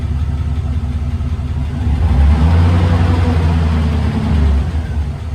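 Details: 1999 Chevy Silverado 2500, replacement used 6.0L LS V8 (180k miles, swapped for failed 250k engine), first start after install: steady low idle rises smoothly into a rev and settles back, no knocks or misfires; normal idle and rev.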